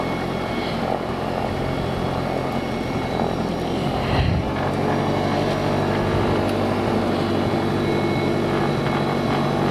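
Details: Mooney with M20J fuel-injected Lycoming, hot restart after 30 seconds shutdown, throttle at idle around 750 rpm: steady even propeller drone, holding speed without sputtering or surging.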